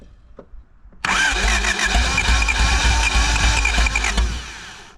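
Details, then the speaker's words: 1985 Honda Civic parked 16 years, carbureted, 17-year-old fuel in tank, fresh oil added: cranks, catches suddenly and runs rough for a few seconds before dying, running only on fuel poured into the carburetor. "That is unbelievable. It ran. It just started. We put some oil in it."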